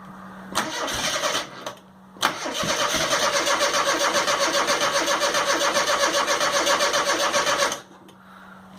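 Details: 1997 Rover Mini Cooper MPI after storage, whose MEMS 2 ECU failed following a jump-start from a starter pack. Steady starter churn about four beats a second for five seconds with no firing. Cranks but won't start due to the faulty ECU; replacing the ECU was the next step.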